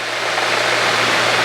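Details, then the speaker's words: 1964 Cessna 210D with IO-520 engine and no GAMI injectors, cruising while leaning the mixture, fuel flow 17 then 16 gph (gauge accuracy doubted): steady, even drone under heavy cockpit wind rush, no misses or stumbles; still smooth before any roughness sets in. "There's 17 gallons an hour if this is accurate. 16. Still running smooth. I haven't even felt the slowdown, which it shouldn't yet."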